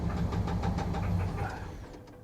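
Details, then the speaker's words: Salvage-auction truck at Copart, oil an odd colour: deep fast heavy knocking under a rough low note as the engine winds down; heavy engine knock with no oil pressure. "it's got no oil pressure the engine is knocking not just a little bit that engine is knocking heavy that is a heavy heavy knock"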